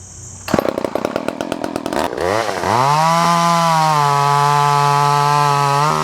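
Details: Vintage Poulan 1800 Woodsman chainsaw, complete, no cracks or repairs, sharp chain, original 12-inch bar: pull-start chatter, then it catches and revs to a clean, steady high whine that holds evenly; healthy running.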